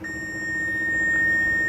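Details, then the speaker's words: HP laptop, LA-D703P board: after replacing an IC and reconnecting power, pin 14 still shorted, steady high continuity beep near 2 kHz, about 56 ohms; failed CPU, no fix. "it is the same thing the pin number 14 again goes to shorting mode okay you can hear the beep now as you can hear the beep"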